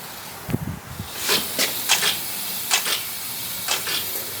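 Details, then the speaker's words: Front brake on an LS Galaxie project, wheel turned by hand: faint, uneven scraping swishes as the pad just touches the rotor, a light drag. Calipers are to be pulled and probably rebuilt, and the rotors cleaned. "and it just touches. You can hear it just touch."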